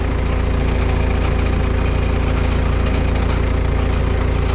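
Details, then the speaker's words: Diesel skid loader idling low and steady with a fast metallic rattle on every engine pulse. Broken muffler bolts are suspected, and the noise is then traced to the muffler. "you guys hear that rattling i think a multiplayer the bolts on a muffler broke again"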